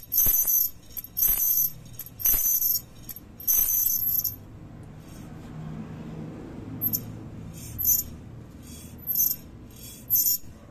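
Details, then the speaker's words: Sharp, shrill metallic jingling in bursts about once a second as the brake is pressed; a loose brake spring and plate is catching deep in the wheel assembly, with the rear wheel suspected; moving the spring down stopped the noise: brake spring rattle. "eu não entendo como uma chapinha pode fazer essa bagunça toda cara e é justamente a mola que tá pegando aqui agora dá para ir mais claramente que a mola pega bem no fundo aqui ó"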